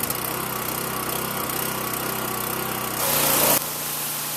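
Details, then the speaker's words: Small-engine pressure washer that sat all winter in a cold garage and started right up: runs steady and even at a fast, light pitch with no misses or knocks; running healthy. "ah that is a good piece of equipment that's it"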